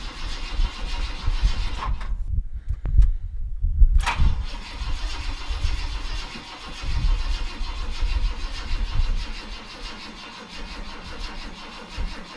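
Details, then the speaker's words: Junker donor car that sat two days, carburetor pumped several times before cranking, battery possibly weak: a slow starter chug in repeated bursts that never catches. The owner suspects it is flooded; it later ran well with a battery charger fitted. "i think i flooded it okay we have a battery charger on it now um i may have just flooded it might not have needed to pump it like i did"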